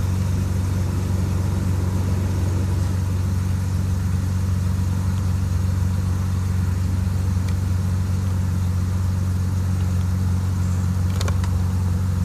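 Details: BMW E38 750i M73TU V12, started from cold at +8°C: deep, low idle with an uneven, lumpy pulse and occasional stumbles. Random misfire in all cylinders shakes it at idle but not when driving, with no power loss; cause not found.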